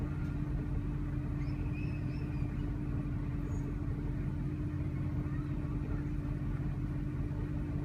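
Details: 2000 Jeep Grand Cherokee 4.7L V8 with rough idle and stalling: low droning idle with a slightly uneven pulse over a steady hum. Throttle body cleaned, plugs, fuel filter, TPS and IAC replaced; purge solenoid code traced to bad PCM connection. Cause unidentified.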